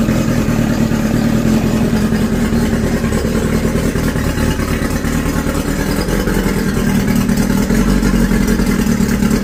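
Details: Outboard engine after replacing a degraded gray fuel hose (collapsed, corroded inner lining blocking fuel) with black hose: steady, even two-stroke burble holding speed without stumbling or dying; previously hard to start, wouldn't idle, lost power. Now normal running.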